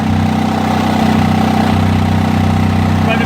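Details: 1991 Onan 7.5 JB generator, first run after cleaning dirty ignition points that caused no spark: steady, even drone at constant pitch, no misses, knocks or hunting; running smoothly near rated speed.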